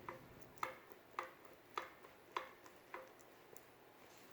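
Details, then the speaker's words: BMW E46 M3 driveshaft CV joint rocked by hand: faint, sharp metallic clicks about every half second from worn free play; root cause of metallic clunk when shifting in lower gears. "but the one part that I did notice the head what seems to be somewhat of a problem is the CV joint and this joint here"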